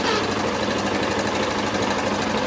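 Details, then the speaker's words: Yamaha FZ 2.0 motorcycle at idle; fast, even, continuous metallic chatter over the idle, described as cam chain noise; cause suspected, not confirmed. "Oigan ese sonido, oigan. Puro sonido como de cadenilla."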